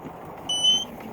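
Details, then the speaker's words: Fantasea underwater housing leak detector triggered by touching its sensor with a moistened finger, red light flashing; a single shrill high-pitched beep about a third of a second over quiet room hiss, the moisture alarm heard underwater. "the second i touch the sensor with a my moistened finger it sets off the alarm and you can see the red light flashing and you can hear the alarm and that's what you hear under water and see underwater"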